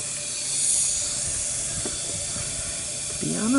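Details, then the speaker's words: 2001 Honda Recon 250 ATV with low compression, leak-down test at top dead centre, valves closed, compressor off: steady hiss of escaping air, no firing; air loss past worn, seized rings in a rust-pitted bore. "obviously I'm feeding air into this park plug right valves are closed and as I dial up the air I have the compressor off so I don't like myself up"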